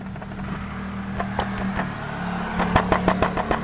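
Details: Honda Vario 125 LED scooter: a loose, rapid knocking rattle from the rear when the throttle is opened to about half, caused by a loosened right-side air filter box; a rubber inner-tube shim cured it; air filter box rattle.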